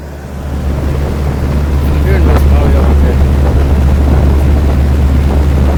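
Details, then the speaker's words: 2016 Lasko heat pump in heat mode at about 22°F during a blizzard, with the outdoor coil damaged and frozen up. A loud, deep, strained drone holds steady with wind over it; loud harsh compressor noise. "got to get the there we go yeah listen to that I don't remember alasco heat pumps sounding this angry before"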